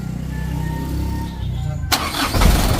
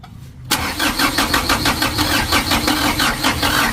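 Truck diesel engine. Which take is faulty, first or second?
second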